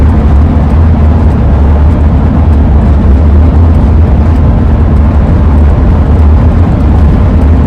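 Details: 2001 Ford van with AA ladder roof rack, relocated but still howling, driving on road: deep steady drone and wind roar with constant low hum as airflow passes the rack; wind howl while driving.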